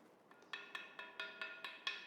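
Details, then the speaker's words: Ring test before mounting a grinding wheel: light taps with a small piece of timber around the outside give a clear, lingering ring, showing no cracks or faults; a cracked wheel would sound dull. "You grab a grinding wheel and a small piece of timber, and you just lightly knock around the outside of the grinding wheel. And it should give a distinctive ring."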